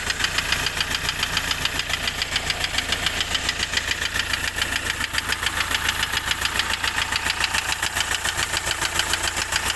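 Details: Hyundai i20 engine at idle with a sharp, very regular tapping knock three to four times a second from inside the engine; engine knocking.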